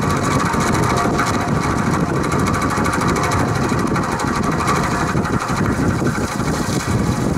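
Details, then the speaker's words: Vintage Penncrest (Lakewood) 20-inch 3-speed box fan started on high: fast steady diesel-like rattle over the running hum, persisting despite repeated oiling; motor tight, blades not loose, cause unclear, owner suspects worn bearings. "it sounds like a diesel engine when it runs it's rattling it's noisy i've oiled it several times before the noise doesn't go away"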